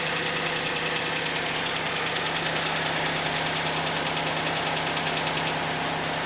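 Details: Suzuki Vitara at cold idle: steady light ticking knock a bit over two per second that does not fade; internal knock, cause unknown.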